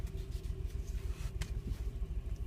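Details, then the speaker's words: Petrol engine idling when stopped, quiet while moving, with power loss and high fuel use: uneven pulsing idle with faint light knocks; code P0300 random misfire, no spark or injector power suspected. "Y si oyen el golpe que se oye, no sé si lo alcancen a identificar. El código dice que es el 300 Random Misfire."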